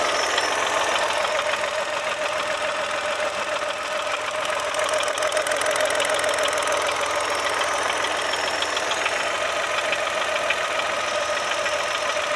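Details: Brand-new Chevrolet Onix Plus at idle: fast, fairly regular ticking rattle about three per second over steady idle; dealer first replaced a solenoid valve without effect, noise traced to alternator belt tensioner.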